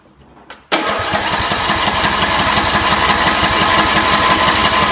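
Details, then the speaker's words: 17 hp Briggs Intek on a Scotts John Deere 1742 after head gasket replacement and valve lash adjustment: engine catches at once and settles into a steady, even idle chug with no knocks or misses; repair successful. "Okay, looks like we're good to go."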